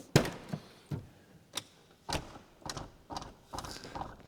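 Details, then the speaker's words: Lotus Carlton rear door sits low, slightly off alignment: several hollow thunks as the door meets the striker plate, which pulls it up to align with the body shell; needs a firmer slam to close. "that noise tells me that the door is actually low. It's as I close the door, the striker plate pulls the door up to align it with the body shell."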